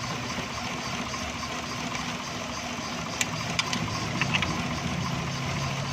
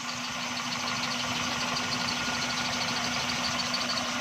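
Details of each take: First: XLI 1.3 on CNG, engine cover off, vibrating heavily: lumpy, uneven idle with stumbles and sharp clicks; misfire on cylinders 1 and 2 from oil-fouled plugs and plug wires and a cracked coil. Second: XLI 1.3 on CNG after gas kit mixture tuning: steady, even idle hum with no stumbles or dropouts; misfire completely gone, engine smooth.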